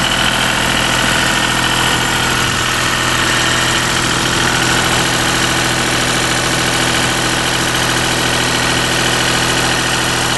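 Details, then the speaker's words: Deutz diesel engine driving a Lima generator, first start-up after repair, at about 1,850 rpm: steady even clatter at constant speed with no knocks, misses or surging. Normal running. "So that's probably about around 1850 or so. There it is. It's a runner."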